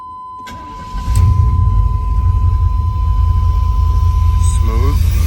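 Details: Rebuilt Chevy 350 small-block with new distributor, started to set ignition timing with the timing advance disconnected: catches after a brief crank into a lumpy, uneven low rumble with a steady whine. Rough running from a faulty camshaft, fixed by replacing the camshaft.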